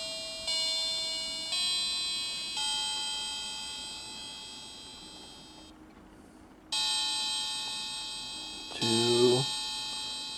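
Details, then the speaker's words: Vintage clock restored with new battery chime unit mounted on velcro at the case edge, plays on the hour: clear electronic bell notes ringing and fading without distortion; chime unit works properly. "i just want to go ahead and try out the chime so the chime is down here i mounted it on some velcro right at the edge here so i'll see what it sounds like"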